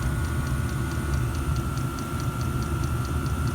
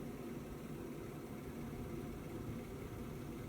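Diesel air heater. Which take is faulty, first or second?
second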